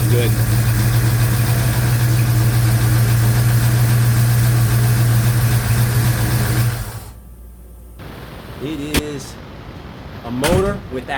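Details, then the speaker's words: 1956 Chevy Bel Air with 307 V8, first proper run after restoration, freshly started: deep even idle with faint light valve-train tick; owner suspects springs and retainers. "Valve train is a little noisy. We'll get used to it. We'll get used to it. I think that's probably got something to do with the springs and retainers."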